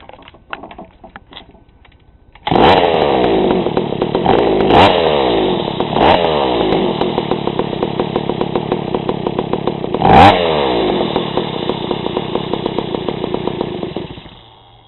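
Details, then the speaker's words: GoPed gsr40 two-stroke with 603 high-performance carb and TGN manifold, first start before low-speed adjustment: starts and stumbles unevenly, nearly dying, barely idling; choppy idle from too-rich mixture. "you see it idles barely real choppy ly idle it's definitely too rich so let's see what we can do"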